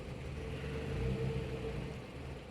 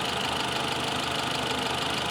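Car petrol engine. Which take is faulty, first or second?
first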